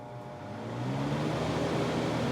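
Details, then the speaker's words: Miller 330 A/BP TIG welder cooling fan after bearing service: fan spins up over about a second into a smooth, steady whir with no rattles; much quieter than before; normal fan running. "much quieter no crazy no crazy rattles or anything like [Music] that never heard the machine sound like this wow it's so much quieter"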